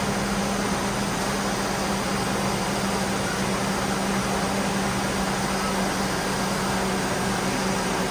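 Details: GMC Yukon just after installing a new AC Delco 15-4694 fan clutch, in the garage: steady loud air rush with an even low engine hum, no roar or rattle; fan clutch operating normally.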